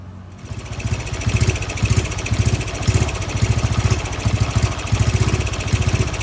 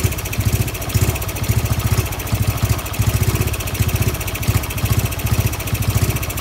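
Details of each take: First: Honda Wave 110i converted from modified back to stock parts (crankshaft, piston, head, valves, camshaft, exhaust, injector, ECU): after starting, engine runs lumpy and uneven with heavy thumps about twice a second instead of a smooth idle. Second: Honda Wave 110i with stock engine parts after ECU reflashed to factory standard map: steady, even low putter at idle, regular firing pulses, no knocks or misses; normal idle after fix.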